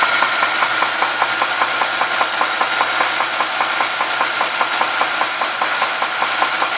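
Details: Holden VZ Commodore: sharp, even knock about two and a half per second over the running engine, staying clear through the rev; cause unknown.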